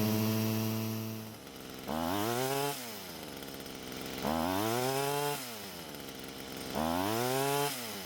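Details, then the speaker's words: Stihl string trimmer after clearing a restricted exhaust that had cut its power: crisp revving from idle to high speed three times, pitch climbing quickly and holding steady, with much better throttle response and higher engine speed; normal full-power running. "The throttle response was much better, and of course the engine speed was much higher than before we cleared the exhaust."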